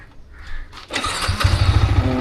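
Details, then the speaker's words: Yamaha MT-15 after battery recharged and refitted, on stand in neutral: brief starter whirr, then the engine catches on the first press and settles into an even steady idle; earlier took 4–5 tries to start. "Okay, successfully set అయిపోయింది. నీట్గా ఒక్క స్టార్ట్లోనే start అయిపోయింది అనమాట."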